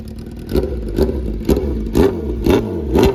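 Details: Honda CBR1000RR that crashed upside down in a police chase, first startup after a week of Marvel Mystery Oil in the cylinders: quick clean throttle blips, revs rise and fall freely without misfire; normal revving, no leaks, smoking from spilled oil.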